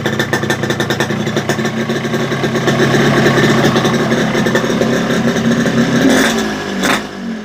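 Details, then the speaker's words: Yamaha RX King two-stroke after reed membrane setting; leaking reed petals had caused no idle and sluggish low throttle. Now crisp crackle holds steady idle and picks up cleanly on quick blips, no bogging: healthy idle and throttle response. "untuk gasnya itu udah responsif banget beda sama tadi ya Tadi Tuhan karena membernya bocor juga tidak mau langsam ini sudah langsam juga"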